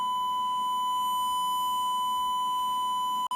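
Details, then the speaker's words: DTech 3300K karaoke amplifier-mixer: 1000 Hz signal-generator tone into the DVD/music input gives a steady pure high beep, brief dropout near the end, no crackle or flutter. Clean amplifier output. "Okay, well that's the sound amplification for the bypass, or for the music. Pretty cool stuff, huh?"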